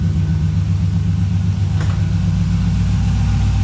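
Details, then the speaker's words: 1985 Chevy C10 with a swapped 5.3 LS, which stumbles and backfires under load, idling cold at about 700 rpm with fuel pressure around 60; a deep, steady low rumble with an even beat and no miss: smooth idle. "idling smooth my fuel pressure is you know right around 60 where it should be it's settling down to about 700 RPM"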